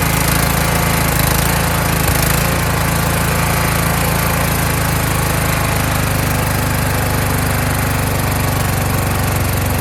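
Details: Kohler Courage engine on a tractor, after a donor-motor carburetor swap whose choke springs back by itself; started choked, winter, engine cover off. Steady thump about three and a half beats a second with only a slight lazy waver; runs properly.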